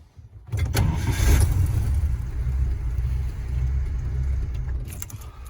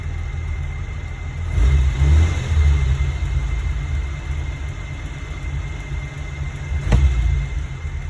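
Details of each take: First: Warm vintage carbureted engine deliberately flooded with extra fuel shots, replicating hot-start flooding: starter churns several seconds with an uneven, hesitant rhythm before firing, fuel smell noted; flooded engine, extended cranking. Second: Warm vintage flathead at about 180°, slight fuel percolation wet in the intake manifold, restarted: low steady idle with two brief throttle blips settling back smoothly, no misses; normal warm idle.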